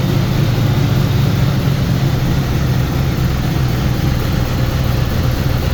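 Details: Turbo Trans Am at first start after partial overhaul: cylinder heads revised, new camshaft, valves adjusted, new turbo, break-in oil. Held at raised rpm at the start of a planned 30-minute break-in. Steady, smooth low rumble with no knocks or ticks; oil pressure good. Normal fast idle.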